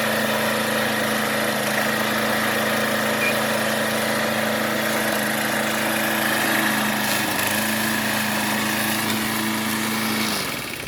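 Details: John Deere JS20 push mower, after the belt idler pulley was replaced: small single-cylinder engine holds a steady, even drone at constant speed, then shuts down. Runs clean.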